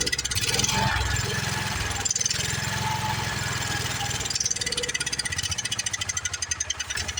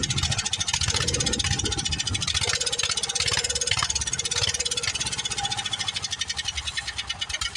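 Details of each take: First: Long-sitting Wheel Horse tractor single-cylinder engine fires quickly and evenly on a prime, then the beat falters and thins; it is not picking up fuel from the tank. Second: Old Wheel Horse tractor single-cylinder engine, fired up: catches and settles into a fast, even popping beat with no misses; runs steadily and healthy.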